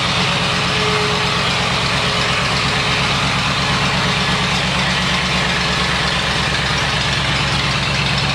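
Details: 1979 Lincoln Continental Mark V Bill Blass edition, about 49,000 original miles, cold start after sitting 8 years on a new AGM battery: steady, even V8 idle with a constant low pulse and no knocks or misses; normal cold idle.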